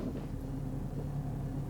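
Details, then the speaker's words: Jeep with automatic transmission, warmed up, in reverse: low steady hum under idle while backing up, stopping in drive, louder after warm-up, no knocking; whine located inside the transmission, before fluid service with Lube Guard additive. "where it's definitely in the transmission and you can really hear it now hear that you can definitely hear it now it did a little bit more after it warmed up it's inside the transmission"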